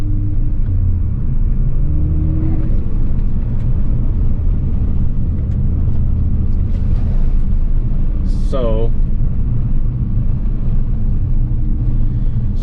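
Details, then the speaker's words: Ford Focus ST, stage 2 tune on 91 octane, Cobb cold air intake with box cover removed, Turbosmart 50/50 dual-port BOV on true vacuum source: engine rumble while driving, then quiet flutter on throttle lift; compressor surge even under low boost. "it does flutter under obviously under no boost every single time i let off the throttle there is a flutter which makes sense so i don't know if you can hear that but that was pretty quiet um but even under low boost there is some compressor compressor surge which gives us flutter"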